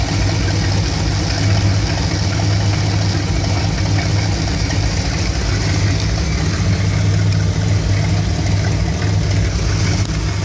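Warm V8 idling with an uneven, lumpy beat and a wavering low rumble, not settling smooth; a rough idle with the cause still unknown.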